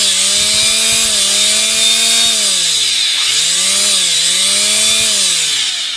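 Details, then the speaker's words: Electric planer after repair of armature sparking and commutator work, running without the belt: steady smooth motor whine with no sparking or crackle; the armature now spins cleanly. "yan guys hindi na siya nag-spark napaka smooth na ng pag-ikot ng armature niya"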